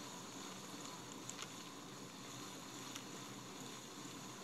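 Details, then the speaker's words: Abu Garcia Ambassadeur 550 Plus baitcaster after the factory bushings were replaced with Boca ceramic bearings, plus deep cleaning, polishing and new drags: quiet, even whir of the free-spinning reel, with the earlier rattling gone. "just take a listen doesn't make the rattling anymore see sounds a lot better"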